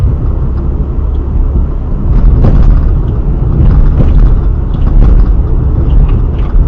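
Low rumbling thuds come through under steady road noise while driving, pointing to a knock somewhere in the front right suspension.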